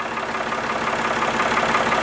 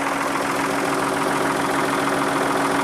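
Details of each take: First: Backhoe loader diesel at warm idle after treatment, measured from the front (under 70 dB) and the side (about 70 dB, versus 81–85 dB before); even regular beat, no knocks or rattles; normal warm idle, clearly quieter. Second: Backhoe loader diesel idling warm (warmed before recording) before the oil change, sound meter at the engine reading about 75 dB, up to about 85 dB on the other side; loud, hard rough clatter about 140 beats a minute; noisy diesel idle.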